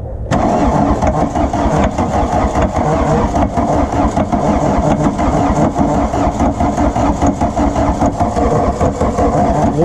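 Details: Volkswagen Rabbit diesel truck that had sat about 15–17 years, with new ground cable and fuel primed through the lines: long, uneven cranking for ten seconds with no catch or pickup in speed; it turns over but never fires, possibly from too much fuel.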